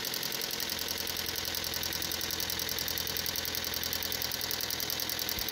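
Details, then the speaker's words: Car running on LPG before replacing the LPG injector and filter: fast light ticking about three or four a second over a thin hissy idle with idle fluctuation, reduced performance and higher consumption; faulty LPG injector clicking. "zgomot excesiv de clic și o fluctuație la ralanti . În plus, performanța lui a scăzut considerabil și consumul de combustibil a crescut..."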